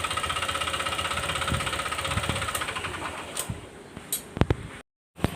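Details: Honda Click 125 scooter at 160,000 km, before repair: a rapid, steady metallic knock about four per second rides over the idle. It is diagnosed as a worn connecting rod, and the crankshaft and rod are then replaced.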